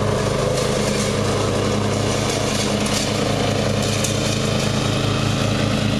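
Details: Murray riding mower, first run of the year after long storage and a mouse nest cleaned out; gas half full and not old, filter unchanged. A steady, even putter with no stumbling, surging or cutting out; the engine runs perfectly.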